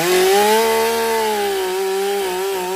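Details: Stihl MS 362 chainsaw, about 7 years of hard use, brought in hard to start and low on power, after servicing: starts well and runs excellent cutting very hard wood (maple or oak), strong steady high buzz sagging slightly and recovering as chain bites; normal running under load.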